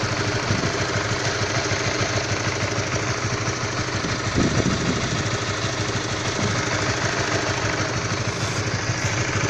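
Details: All-new Honda CB150R motorcycle, fully stock AHM, cold idle: single-cylinder exhaust beat with a coarse, uneven, rough tapping knock when engine temperature is low; cause not pinned down.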